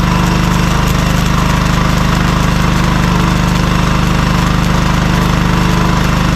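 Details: Cheap compact gas welder-generator, small engine holds a steady, even drone at constant speed with a faint inverter-type whine on top; rpm can be turned down to lower amperage; runs smoothly, normal running.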